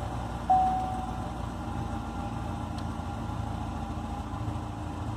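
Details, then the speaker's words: Chevrolet Corvette C6 V8 idling: low, slightly uneven rumble, running rough especially at idle, consistent with a misfire, before diagnosis with an OBD2 scanner and repair. "today we're actually going to troubleshoot and fix a little problem that the c6 Corvette behind me is having where it's running a little rough especially when it's idling"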